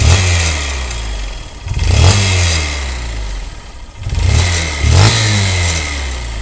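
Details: Honda CBF125 single-cylinder revved twice: thump with sharp puffing and ticking from an exhaust leak at the cylinder head exhaust port; the one-time-use seal there needs replacing.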